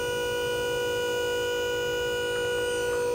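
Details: Roll-off trailer hoist hydraulic pump (17,500 GVW) raising the hoist: constant mid-pitched hum with a steady whine, holding level; pump running normally under load.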